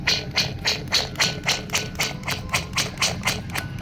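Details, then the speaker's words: Subaru WRX during clutch job, pilot bearing turned by hand with flywheel removed: gritty, scratchy pulses about four a second from a rough, worn pilot bearing, being replaced. "and the pilot ooh the pilot bearing is rough you hear"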